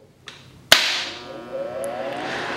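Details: HVAC training board, MARS 903 general purpose switching relay coil energized, normally open points dropping from 120 V to 0 V: one crisp snap as contacts pull in, then quiet room hiss; relay switching normally.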